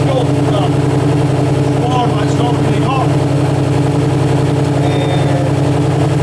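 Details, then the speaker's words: Alfa Romeo GTV 916 3.0 V6 24v after clutch, timing belt and sump gasket seal replacement (oil leak fixed): smooth, even idle with a steady low drone and no knocks, ticks or misses; running healthily. "We removed the sump, changed a seal in the gasket, oil leak sorted. Now just I'm going to show you how this beast sounds like."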